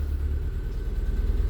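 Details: 2007 Renault Clio with prior crank-no-start and no module communication, after fixing one faulty cable: steady low rumble with smooth even beat, no misses or knocks; engine idles cleanly.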